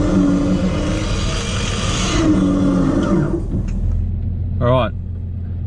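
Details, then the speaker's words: 12-volt winch motor on 12 volts, straight pull on flat ground with vehicle running: steady low electric drone holding even pitch through the pull over engine rumble; normal winch operation, about 31–32 seconds. "run some rope out and we'll get testing alright test one 12-volt straight pull on flat ground"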